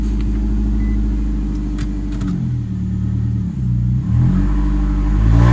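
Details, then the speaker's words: 2011 Nissan Altima petrol engine in Drive under slight load runs rough and stumbles; misfire moved from cylinder three to cylinder two; check engine light flashing. "so that misfire changed to number cylinder number two misfire before was cylinder number three"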